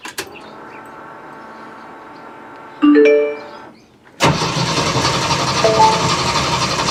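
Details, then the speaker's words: Jeep CJ-7 on ramps with a freshly cleaned, reinstalled gas tank holding four gallons: a chime, then the starter spins steadily without catching. Air in the lines is suspected at first; actually the hidden anti-theft kill switch was left on. "okay that was my fault i did not undo my poor man's anti-theft device so let's try again"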